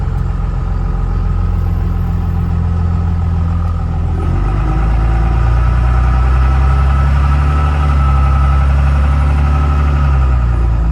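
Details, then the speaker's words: Ford F450 with upgraded stage 2 46RH transmission and billet torque converter, holding a steady high idle with a deep even drone; below about 1,000 rpm it shakes the truck, cause unknown. "It idles a bit high. I've tried to lower it by reinducting the pump and undoing the idle screw, but once it gets down below about 1,000 RPM, it really shakes the truck a lot."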